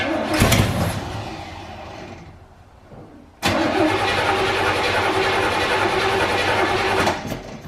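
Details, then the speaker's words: 1984 GMC Sierra C25 3/4-ton, 454 big block, sat in a junkyard 19 years, cranked with gas poured into the carburetor. A sharp pop, then a hard bang as it fires, runs rough briefly and dies: a backfire. "god that rattled the building oh she backfired pump a little bit looks like well that's not what you want to see"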